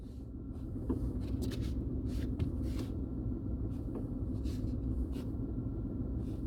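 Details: 2019 Tata Tiago XZ BS4 with a 1.2-litre three-cylinder Revotron petrol engine, recorded inside the cabin: a low, even hum with a steady rumble and no knocks or surges; a quiet, smooth normal idle.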